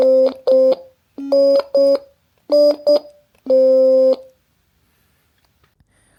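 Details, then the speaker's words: DIY ESP32 Stylophone-style synth with an I2S audio chip and speaker, on its first hardware test. Clean electronic notes each end in a small, sharp tick because the code stops the tone immediately on key release, with no fade-out. "Okay, as we can see, the hardware works fine, but there is one improvement that I was going to make. I need to remove these annoying clicks that we can hear."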